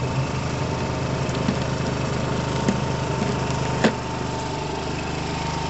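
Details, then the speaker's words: 2012 Piaggio Fly 125 scooter just started, not yet revved, left running to sort itself out: small single ticks over at a steady, even idle with a quiet flutter and no knocks or hunting; sounds normal. "but at the moment that bike starts i haven't revved it i don't want to overwhelm it that sounds normal to me guys to me that sounds normal"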